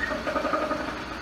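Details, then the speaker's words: BMW E46 330Ci first start after many hours of work, long cranking expected as fuel pressure was out of the rail; short burst of even running after start, no knocking or rattling, normal idle. "but at least it's not making horrible noise"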